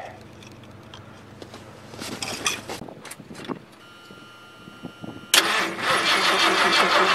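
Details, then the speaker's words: 1978 Ford LTD at about -10°F, borrowed battery on charge: long hard crank after ether sprayed in, fires once without catching; cold no-start. "well I got a little bit of a pop out of it"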